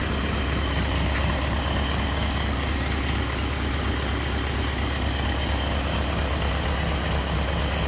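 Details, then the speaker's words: 1945 Cadillac flathead V8 from M24 Chaffee tank warming up on stand, about 500 rpm, rebuilt Hydra-matic in neutral, no load, output shaft still turning from fluid coupling drag: deep steady even rumble, no misses or knocks. "so she's aing around uh 500 RPM there the uh it's it the Tran is in neutral"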